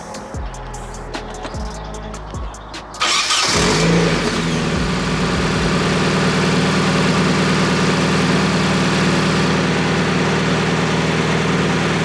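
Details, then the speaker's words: Nissan 240SX S13 KA24DE with freshly rebuilt injectors. With the MAF connected the engine dies; with the MAF unplugged it cranks in short bursts, catches and holds a steady, slightly lumpy idle. Owner suspects the MAF sensor or the wiring harness/connector, unconfirmed. "Oh, she died. That's with the MAF connected. And watch what happens when I disconnect the MAF."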